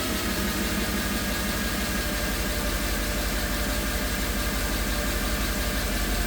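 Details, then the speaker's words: Mercedes E63 AMG V8 just restarted after valve covers were removed, spilled oil smoking off the headers: light quick lifter ticking at idle, probably because lifters drained of oil on the bench; suspected lifter tick, unconfirmed. "You can hear the lifters ticking a little bit."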